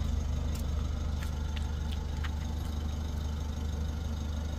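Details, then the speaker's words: 2024 Mitsubishi L300 FB Euro4 diesel exhaust at idle after the tail end pipe was modified and the screen removed: low even note with steady pulses, no rattle or buzz; original sound restored. "Okay, so na-testing na po natin ulit, and ganda na po ng tunog. Original sound na po, wala nang maingay."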